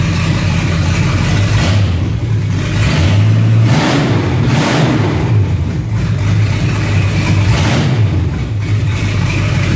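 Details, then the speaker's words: 1982 Chevy K5 truck with the exhaust removed: deep, raw, very loud V8 bark rising and falling with each rev, completely unmuffled; before new exhaust is fitted. "Just kidding. That's what the truck sounds like with no exhaust on it."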